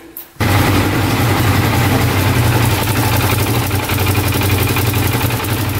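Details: 2012 Arctic Cat Wildcat 1000 side-by-side just after oil and filter change (2.5 quarts fresh oil), run briefly before checking level: engine catches and settles to steady even low rumble, no knocks or misses; normal idle.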